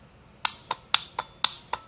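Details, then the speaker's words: Starter solenoid on bench power supply, negative ground connection: crisp clicks about every quarter second, working normally; reversed for positive-ground tractor it only arcs, due to internal diode; normal solenoid click. "works perfectly you can hear it clicking that's the starter terminal from the from the key"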